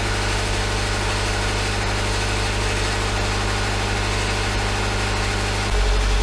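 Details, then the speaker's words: 2011 Subaru Impreza, rebuilt EJ253 non-AVLS block with AVLS heads after rod bearing failure: steady, even flat-four idle, rod knock gone, only a light exhaust heat shield rattle; engine runs well with no check engine light. "the knock is certainly gone and it runs very well"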